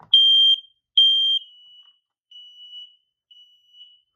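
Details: Second-bedroom smoke detector on a house test button press: two loud, high-pitched shrill beeps about a second apart, then quieter fading chirps; the alarm sounds properly on test.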